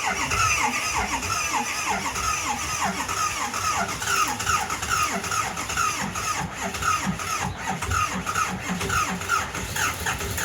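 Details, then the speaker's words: Engine bought as "good running", struggling to start with extra ether sprayed: slow, labored cranking about twice a second with a squeal each stroke, barely catches and won't keep running; owner thinks it's just cold natured, cause unconfirmed. "Bro, does that count as running? I think she's just cold natured."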